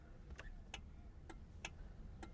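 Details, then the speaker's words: Australian-assembled Toyota Corona XT130 with Starfire engine, indicator on in cabin: crisp paired click-clack about once a second over quiet idle; proper 1970s-style indicator relay working normally. "a proper indicator noise so yeah they're very very very 1970s"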